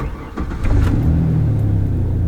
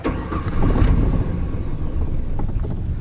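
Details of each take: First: Truck cold start after cleaning the idle air control valve: cranks and catches within a second, then a steady, even fast idle above 1000 rpm with no stumble, settling to about 800 rpm after two minutes; normal. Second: Petrol pickup truck at idle: very low, lumpy, uneven rumble that shakes and nearly stalls, revving smoothly only on throttle; suspected dirty idle air control valve stuck closed and starving the engine of air (idle should be around 800 rpm).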